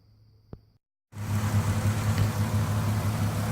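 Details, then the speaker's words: 1978 VW Scirocco with a 24v VR6 swap: it settles after a brief pause into an even, steady low idle with no misses or knocks, running smooth. "I just fired it up, running nice and smooth."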